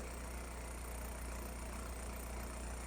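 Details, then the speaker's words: Toyota AE86 Corolla 4AGE, warm idle at about 1,000 rpm during throttle end-stop screw adjustment. Steady, even low drone with no misses or knocks, set slightly high. Owner wants to back the screw off further. "So, currently we're sitting at about 1,000 RPMs."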